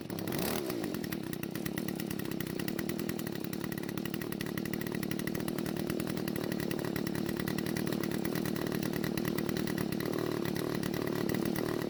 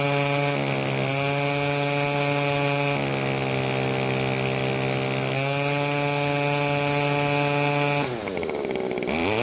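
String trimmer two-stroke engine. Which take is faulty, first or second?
first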